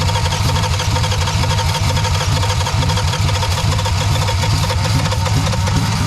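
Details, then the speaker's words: 1962 Plymouth Valiant slant six, automatic, finally running after months of no-start once it made heat: rough loud engine roaring at high revs, wide-open throttle, uneven low pulses. "the throttle's wide open oh I was like I don't know what we're but okay we run now got it it'll run now"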